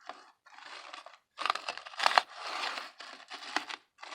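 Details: Bachmann U36B model diesel locomotive with pancake motor, before restoration: harsh, raspy clatter in stop-start bursts with sharp cracks in each run and no smooth motor whine, the sound of cracked nylon drive gears.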